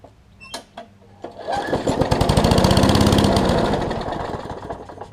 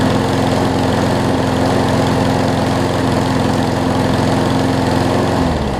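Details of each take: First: Craftsman push mower with a new right front wheel assembly and a cleaned carburetor, first start after the carb clean: after a couple of pulls it catches and chugs with a slow, even beat that swells then sags. It's idling too slow and needs more throttle. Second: Craftsman push mower after carb clean and oil change (old oil had water and mess in it): runs at smooth, even speed about five seconds then winds down cleanly; no misfires or hunting, running well.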